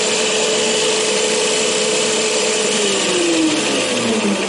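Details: Newly built bar feed tube stand: steady spinning hum easing down in pitch as it slows, no rattle, clatter or knocking; normal quiet bar feeder operation.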